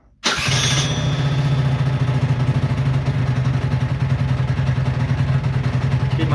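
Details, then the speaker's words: Peugeot Jetforce scooter with the carburetor idle screw turned fully in, deliberately mis-set: it cranks, catches at once and holds a steady buzzing idle, starting and running fine despite the setting. "ich hatte schraube ganz rein gedreht also ich hab den vergaser komplett verstellt er springt trotzdem an und läuft wunderbar"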